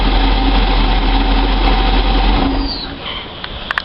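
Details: Moomba boat engine running after an exhaust leak repair: a steady, even low rumble with no ticking inside the boat, confirming the leak is fixed.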